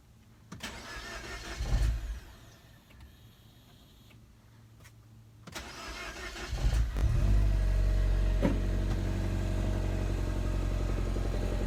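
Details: Mini Cooper R56 with N18 engine, cold start: two short cranks die away, then a longer crank builds toward a rough, uneven catch but no start, no fault code; owner suspects a failing high pressure fuel pump.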